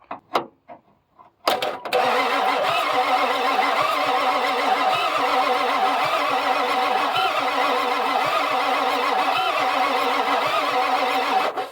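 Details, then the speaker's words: 1995 Ford F250 7.3 Power Stroke diesel, no start after three previous mechanics; fuel does reach the filter. Starter cranks evenly at about two compression beats a second with no injector clicking and never fires; injector wiring/ground suspected, not confirmed. "But usually whenever those fire, you'll hear a click, and it sounds like like a snap constantly as it's cranking, because it's trying to fire each injector. Well, I don't hear that at all."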